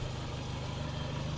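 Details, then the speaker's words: Peugeot at idle after the leaking exhaust flex pipe was replaced: soft, even engine pulses at a steady idle with no puffing or ticking from the exhaust, running quiet and sealed. "So now I've done the flex, as you can hear, it's all running nice and quiet, which is good."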